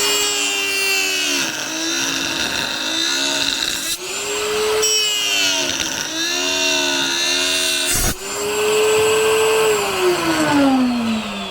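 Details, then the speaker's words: Router cutting a 2x4: a high, steady motor whine that sags under each cut and recovers cleanly with no rattle or chatter; running healthy. "Yo, we ain't never had this much cutting power, have we?"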